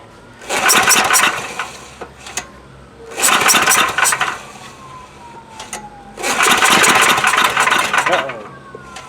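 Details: Coleman Powermate MAXA 5000 ER generator, old 10 hp engine, new replacement carburettor, primed with a shot of fuel. Three rasping pull-start attempts about three seconds apart; engine never fires. A no-start.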